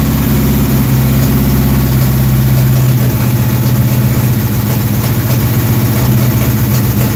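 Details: Dirt track race car V8 with timing just adjusted, hot engine: deep lopey idle holding even at about four pulses a second with no misses or knocks; normal idle.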